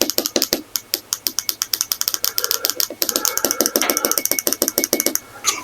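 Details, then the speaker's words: 1994 Saab 9000 fuel injector on a bench test after soaking in carburetor dip, which freed varnish that had locked it: crisp, rapid, mostly even clicking, normal injector clicking as it opens and closes freely. "let's see first of all if it clicks it came back which means varnish had it locked up"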